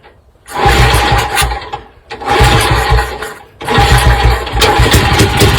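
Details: Kick-start bursts on a restored 1953 MV Agusta 175 CST four-stroke single with about 3000 miles, ignition and fuel on and kicked from top dead center, catch into a lively bark that revs up and holds; it starts and runs normally.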